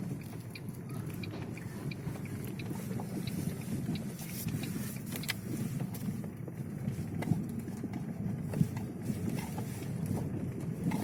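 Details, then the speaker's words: Lada Vesta front suspension after the left stabilizer link and stabilizer bar were replaced under warranty: steady low road rumble on rough road with no knocks, only light ticks from a loose cabin item. "тишина полнейшая"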